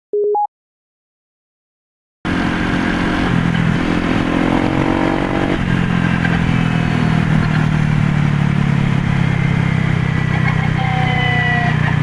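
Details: Used Honda PCX (JF56): whine rises over engine drone each time throttle closes; clutch shoe replacement helped only temporarily; metal fragments found in final reduction oil, gearbox countershaft bearing broken; fixed by replacing the gearbox bearing.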